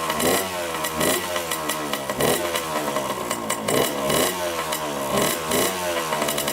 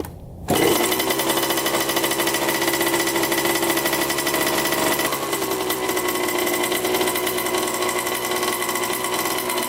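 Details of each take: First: 1987 Honda CR80 two-stroke dirt bike, carb cleaned, choked first start: raspy crackle surging and sagging unevenly, never settling to idle; white smoke and milky oil, owner suspects coolant in oil and an air-fuel mixture screw needing adjustment. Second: 1987 Honda CR80 two-stroke dirt bike, first start after carburetor cleaning, air filter cleaned, on choke, oil slightly milky: crisp buzzy note settles into a steady, even run with no stumbling or misfiring; engine sounds healthy.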